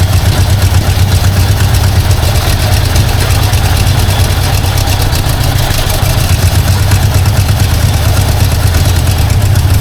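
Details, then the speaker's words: 1952 Ford Crestline long-stored engine on dribble idle: low rumble with uneven lumpy beat, not running on all cylinders; owner suspects a further vacuum leak, possibly from the wiper line. "it's not quite running on all though definitely something going on there just going to try to idle it up here a bit unless I have another vacuum leak I don't know about"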